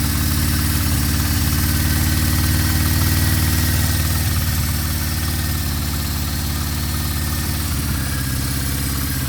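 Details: 1974 Honda CB550 four-cylinder after timing, cam chain, valve adjustment and carburetor synchronization: smooth, even low idle hum with a steady beat and no misses or knocks; carbs balanced, engine healthy.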